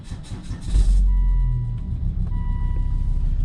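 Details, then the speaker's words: Volvo 2.4 D5 Euro 3 diesel after glow plug change, cold night around -3 °C: short cranking burst, fires first crank and settles into steady even idle. Normal cold start. "There you go, it goes on the first start. There we go. Here we go, it fires up."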